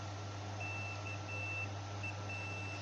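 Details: PSI S2 satellite receiver board that won't power on, fuse checked with a meter in continuity mode: steady high beep cutting out briefly as probes shift, over mains hum; continuity good, fuse not blown.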